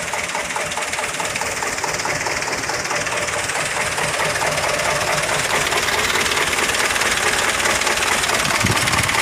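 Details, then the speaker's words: Mitsubishi Fuso Canter HD 125PS diesel truck idling with an uneven limping knock and weak power; loosening injector line 1 brought no rpm change, showing a clogged number 1 injector. "Getar kayak ada yang telat suplai solarnya ya. Kayak pincang-pincang."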